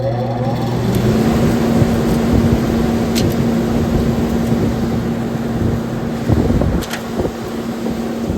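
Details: CaptiveAire bread-oven hood exhaust fan after motor replacement, faulty VariSpeed potentiometer bypassed: fan hum climbs to a steady, even tone within a second and holds, no rattles or surging; amp draw 3.5 A; running normally.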